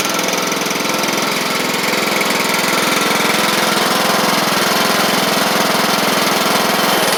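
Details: Craftsman LT1000 Briggs Intek engine after the carburetor was jetted out: a loud, steady note with a crisp, regular firing beat around three per second and no stumbles. It runs sharp and, as far as can be told, is not wearing the belt.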